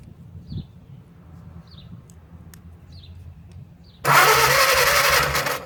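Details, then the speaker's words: Old 4-cylinder flathead (1937 Willys) generator engine sat outdoors 15–25 years, cranked with ether and no carburetor: quiet ticking then short burst of starter churning that never fires; no spark, suspected dirty points or battery connection. "Hitting the starter. Well, no start. Well, let me make sure that I'm getting fire."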